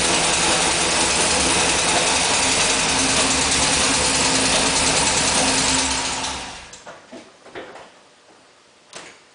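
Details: GM LS2 V8 with new shortblock, about 900 miles, original heads/rockers, on Pennzoil synthetic 10w30: fast even ticking while running until shutdown; owner suspects spun bearing or collapsed lifter, undiagnosed.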